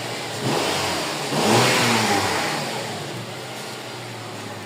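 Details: Honda CR-V Gen 3 K24 engine after wiring repair for a misfire (rat damage suspected): picks up cleanly on a quick rev and settles back without stumbling or popping; misfire gone, running healthy.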